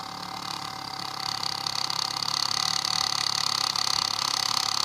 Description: The fuelpump should stop running when pressure builds up, this does not build pressure